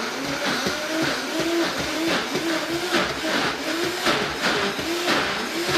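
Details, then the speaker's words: Vitamix blender blending a thick mixture such as hummus, with a rough, surging motor growl and rhythmic pulses; this is the normal sound of the blender under heavy load. "also i will say when you're making thicker consistencies like ice cream or peanut butter or hummus or anything like really thick the machine will make a growling sound sounds like it's broken but that's exactly what you want it to do"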